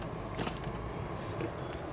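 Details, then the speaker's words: 1959 Cadillac sedan at smooth warm idle after a drive to the YMCA on a cold winter morning. A low, even rumble; the earlier rattling sound is gone and it runs very nicely. Normal idle. "boy I see you hear that rattling sound that was that was going was gone and it's running very nice"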